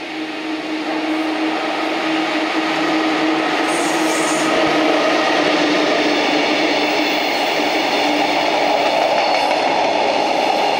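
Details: EF65-1105 electric locomotive hauling rail freight past Kunitachi: steady rumble with repeating thump about four times a second from a flat-spotted wheel.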